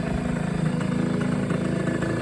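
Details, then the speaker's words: Yamaha RX50 two-stroke after repairs (exhaust repaired with new head-pipe gasket, carburetor tuned, new battery): light, even putter at steady idle, no misses or rattles, just purring away; normal idle. "can hear she's just kind of purring away there that's what it does"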